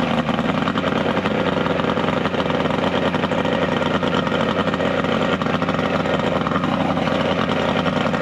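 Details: 70HP two-stroke Mercury outboard on a 1967 Duo boat, running on water hose ears with battery, not hot: steady, even buzzy drone with no misses, surging or knocks; hard starting but runs very well once running.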